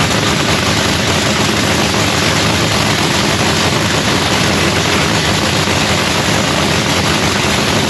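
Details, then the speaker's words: Supercharged Lexus drag race car fired up for the first time of the season after a new fuel pump (fuel pressure had primed only 23 psi instead of 72): loud, steady, hard-edged roar, no misses, pops or knocks; runs healthy. "so anyways guys y'all got to hear the car fire up for the first time of the season it sounds beautiful"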